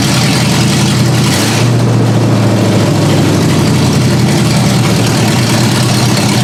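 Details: Ford Granada V8 on open headers, first start-up after work: raw burble with an uneven, lumpy rough idle. The owner raised the idle speed and backed out the carb mixture screws until it idled on its own.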